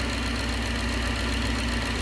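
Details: 1969 Gloria supercharged V8, first proper start, idling; steady lumpy idle with light even tapping that sounds like rod knock but is the cam cover baffle pulled down by crankcase vacuum, louder as vacuum rises.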